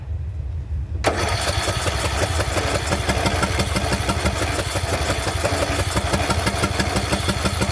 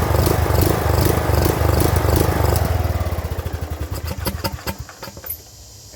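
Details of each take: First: Craftsman LT2000 riding mower that sat about a year and was surging, restarted after the fix: settles into a steady, even beat with no surging or popping. Idle is slightly low, to be raised at the idle screw. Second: Craftsman LT2000 riding mower that sat unused over a year: the engine runs unevenly, hunting and surging, and at low throttle its firing slows to separate thumps and it dies; likely clogged carburetor.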